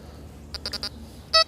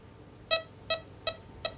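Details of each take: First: XP metal detector over buried chicken wire: choppy, irregular high beeps and chattering break up the quiet hum. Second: XP metal detector at the 12 o'clock sensitivity position over a Victorian coin: crisp, evenly spaced high-pitched beeps, nearly three a second, over a quiet background; clean, solid non-ferrous target response.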